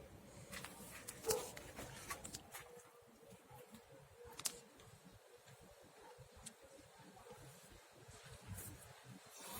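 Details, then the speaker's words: VAZ 2110 rear wheel turning; irregular high scraping and squeaky chirps from a broken drum fragment lodged in the rear brake, possibly from overheating or drum age. Rear drum brake scraping from debris. "Итак, сегодняшнее видео посвящено шуму в задних тормозных колодках и барабанах."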